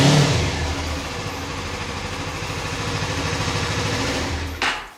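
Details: Suzuki V-Strom 250 motorcycle with 136 miles catches straight away, settles into a steady idle, then shuts off cleanly, with music behind; healthy start.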